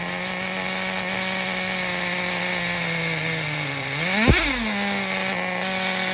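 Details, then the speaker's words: 2006 Traxxas Nitro 4-Tec 3.3 (Model 4809), TRX 3.3 engine after rebuild, restarted after running: small engine buzzing steadily at a slightly lazy idle with one quick rev blip; idle sits a little too low and needs fine tuning. "So the idle's a little bit low. Just a little bit low on her."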